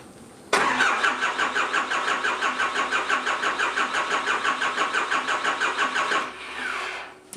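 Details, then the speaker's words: Cummins 4BT diesel in a 1968 Ford Bronco, first start attempt: steady cranking about three compression pulses a second for six seconds, never catching; air in the fuel system while lines are bled. "Oh, look, I'm starting to see fuel bubbling up here. So we'll crank that a little bit more, and then we'll close that one off, and then we'll hit the other ones as they come up."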